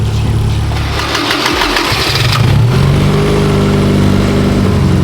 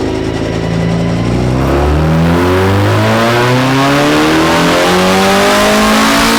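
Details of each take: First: Engine with individual throttle bodies just synced for even vacuum: a quick rev settles into a steady, even idle hum with no lumpiness, sounding stock. Normal smooth idle after ITB balancing. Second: Naturally aspirated ITB engine on the dyno, full-throttle pull while cold: revs climb smoothly about eight seconds then sag before the top; intermittent fuel starvation, pump-to-hanger fuel line found apparently faulty.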